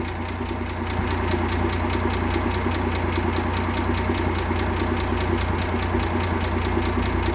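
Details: 1958 AMC Rambler Super with the Weber carb refitted and a new distributor cap replacing a faulty original: the misfire is gone, and it holds an even, steady idle with no stumbles.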